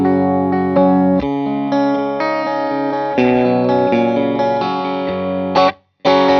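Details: 18W Plexi clone tube amp after no-sound repair, miked test cabinet with Eminence Red Fang and Celestion speaker, mic just off cone center, playing a loop: clean full distorted tone, no hum, crackle or dropouts; fixed, running well.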